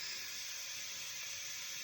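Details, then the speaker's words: Minivan tire being inflated with a compressor: a steady hiss of air escaping. The tire leaks from everywhere and won't hold pressure. "it's going slowly. The compressor might have run down. Yeah. Also, oh, this is leaking from everywhere."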